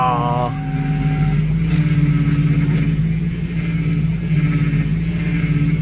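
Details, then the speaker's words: 1992–2000 Lexus SC400 at idle after power steering fluid replaced with Dexron/Mercon 3 ATF: thin constant whine above the engine, unchanged with revs; power steering pump still whines but quieter than before. "yeah it still whines but it's getting quieter so maybe I just need to drive it around a little bit we'll we'll see"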